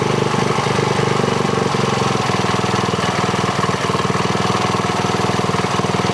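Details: Polaris RZR 170 (169cc four-stroke), engine warm, choke off, idle screw turned counterclockwise toward 1,700 rpm before pilot air screw adjustment: fast uneven single-cylinder thumping about four beats a second with irregular pops and backfires; sputtering idle.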